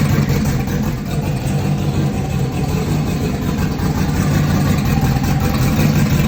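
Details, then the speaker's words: Junkyard LS (L33) with a big turbo on methanol, after swapping coil wires the owner suspects were left flipped following earlier sputtering; runs steadily with an even low rumble, firing on all cylinders, starting and running well. "It's fine. It obviously starts really good. It runs good."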